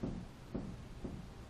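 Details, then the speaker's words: Ford truck front suspension, wheel raised a few inches and pried up from the lower control arm with a long bar: dull low clunks about every half second with visible wheel movement; ball joint deflecting, worn. "you kind hear it you can see uh the wheel itself moving not just the the tire giving okay you can hear the noise and I'll bring you underneath here so you can see the ball joint deflecting also"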